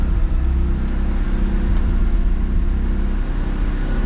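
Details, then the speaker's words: Mazda RX-7 rotary right after starting: it settles into a steady, fast, smooth high idle for the brief moments before oil pressure comes up, normal cold-start behaviour, with no unusual smoke. "because this is idling quite high for the for the personal brief moments"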